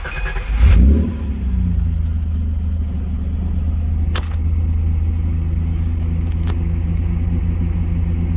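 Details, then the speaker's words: Nissan 200SX S12 just after replacing old fuel pump with a Walbro 255, primed once: cranks, catches quickly and settles into a smooth steady idle without stumbling, less missy than before; normal start and idle. "All right. Well, it didn't die, so seems to be working. Pretty responsible. Idling sounds good. Not as missy as it used to be."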